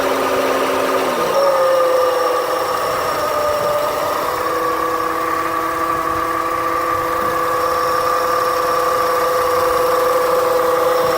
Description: My 2008 honda civic makes a noise after the ac clutch shuts off the whole engine shakes sounds inside